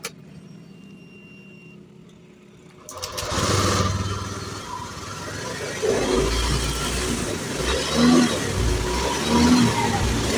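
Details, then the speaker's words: Honda Beat FI (ACG starter) scooter that stumbled when pulling away, after fitting a new TPS: after a quiet start the revs climb cleanly without stumbling under gentle throttle; smooth, more responsive throttle response. "Oke, di sini sudah enak ya. Perhatikan bisa diperhatikan sama yang tadi ya."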